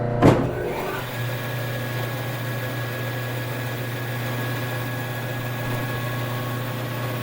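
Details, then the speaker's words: Biro 3334 commercial meat and bone band saw switched on: thump, then steady even low hum with faint high whine, no knocks or rubbing; runs smoothly. "'re going to turn it on show you how smoothly it runs and then we'll take the camera closer go around it show you the blade the wheels and the motor and everything"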